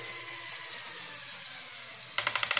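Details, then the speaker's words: LEGO Technic Volvo L350F (set 42030) bucket raised to its high stop: steady motor whir, then rapid sharp clicks about four a second as the linear actuator's clutch slips at the end stop, which can knock the bucket out of alignment. "so when you hear that click click click click it's usually most of it is coming from the clutch in the actuator or it should be um if I raise that up you'll see what happens is that once it hits the stop it'll click"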